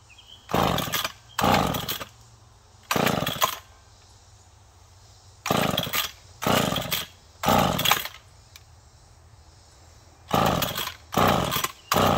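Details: McCulloch Pro Mac 1010 chainsaw that had been smoking badly, first start after parts replaced, both carb screws set one turn out: catches in short ragged bursts and dies each time, never settling; running rich and flooding, fuel appearing at exhaust.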